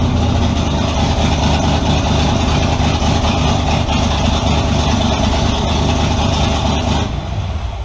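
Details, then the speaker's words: Model A with 350 small-block V8, hydraulic roller cam, twin Edelbrock 600 cfm carbs on tunnel ram, being tuned; deep loud rumble revs strong with no stumble or bog, improved over previous hesitation; normal throttle response, idle mixture still needs tuning. "well that definitely seemed to improve it over what it was doing before before when i hit it it would just sit there"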